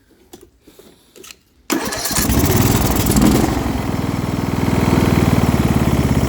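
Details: Small single-cylinder engine on a quick build with a muffler fitted, checked before going into a Murray build: cranks and catches, then idles with a light, low-end rattle, not a heavy knock; the cause is suspected, not confirmed.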